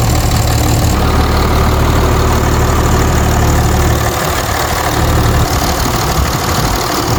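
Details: 2006 Dodge Ram 2500 5.9L Cummins diesel after replacing injectors, fuel rail and lines and adjusting valve lash for power loss: loud steady idle with even rhythmic clatter, no misses or stumbling, no leaks or smoke; normal idle.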